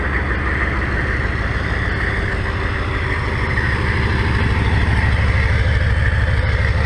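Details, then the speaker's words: 6.5 diesel Suburban after Powermaster starter install, first run after sitting since 2019, started after about four key attempts: steady even diesel clatter, deep regular beat, no stumbles or misses; healthy. "that old power master fired up had been sitting since 2019 hadn't been started or even tried to start the past over two years now"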